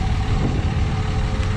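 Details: 2006 3rd gen Cummins diesel just after installing an AirDog II 4G 165 GPH lift pump, XDP fuel sump and Fleece fuel filter delete: steady, even low rumble at idle with no knocks or misses, healthy smooth idle.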